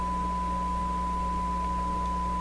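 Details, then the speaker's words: Sparton 1567 tube radio during 6-18 MHz shortwave band troubleshooting: a clean, steady high tone over a low hum appears when a moist finger touches a loose coil, likely a break in the coil's insulation; tone pickup when touching the coil. "so I think when I'm doing is I'm using my my wet and moist finger to discover brakes and the insulation on that coil and I just happen to touch one when I put my finger on it"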